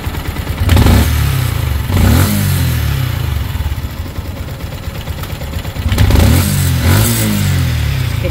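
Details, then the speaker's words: Yamaha Sniper 155, odometer 39,289 km, no prior PMS, revving in bursts; loose metallic rattle on each rise, sound changed once engine cooled. Suspected cam bearing, later confirmed; cams and cam bearing replaced. "So pag ganitong tunog, possible mga cam bearing lang to. Kanina iba yung tunog niya nung bagong dating eh."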